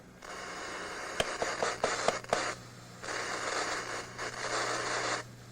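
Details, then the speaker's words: RCA RP-3740A CD clock radio, radio switched on: hiss and static surge in bursts with sharp scratchy crackles as buttons are pressed; owner thinks more than dirty buttons is at fault, both channels won't come on. "I think it's more than just the buttons that are dirty. Can't seem to get both channels to come on."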